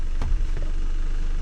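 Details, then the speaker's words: GWM Cannon diesel starts quickly with a short thump and settles into a steady, deep idle with no stumble or knock, after the steering-unable-to-unlock fault cleared following reconnecting the battery and refixing wiring and earths; no fault codes remain. "steering loocks working again start straight back up no worries"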